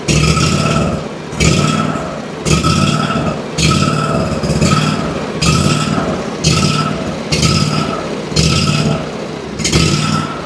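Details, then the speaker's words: Ferris IS3000Z mower, 27 HP Briggs & Stratton V-twin, low power: engine surges about once a second, popping and stumbling, runs very poorly; slight choke doesn't help; suspected fuel/air mixture (carburetor) fault. "As you can tell, it's running extremely poorly. I tried just pulling up on the choke, choking it just a tiny bit to see if I could get it running better, and I can't. uh it's surging kind of right now which usually leads you to believe that we got some sort of fuel or air mixture issue"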